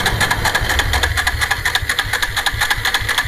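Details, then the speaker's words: Bajaj Pulsar that won't start: steady rhythmic cranking about two beats a second that never catches; no current or spark reaching the plug. "तो guys star नहीं हो रहा है हर हाल में नहीं हो रहा है"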